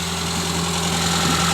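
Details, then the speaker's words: 1984 Toyota Corolla AE86 with Weber carburetor and newer water pump, heard at the engine bay: smooth, steady idle with an even low hum, no misses, knocks or ticks; healthy engine. Exhaust is cut off with no muffler and rattles. "is just a very it's a very healthy sounding engine it sounds very good"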